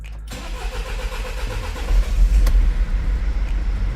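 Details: Mercedes Sprinter diesel van after injector replacement and coding, restarted: it catches quickly and settles into an even, steady idle with no knocking or misfire. A healthy restart.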